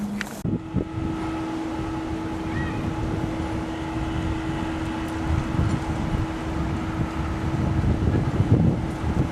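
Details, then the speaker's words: Carrier central air conditioner outdoor condenser fan motor running: constant droning mid-pitched hum over rough, uneven churning and wind rush; the fan motor is failing and needs replacing. "if your air conditioner sounds like that then you don't need to investigate any further you need a new fan motor"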